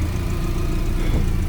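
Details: Subaru Forester STI just after turbo rebuild and new up-pipe, first running on an untuned map with the exhaust closed while the cooling system is burped: low, smooth, even idle, no ticking or knocking; runs cleanly.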